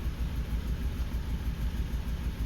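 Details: Suzuki Grand Vitara with no fault codes and short-term fuel trim at 14-17%: rough idle with an uneven, lumpy low pulse of about eight beats a second; one cylinder misfiring, and a compression test found it low on compression.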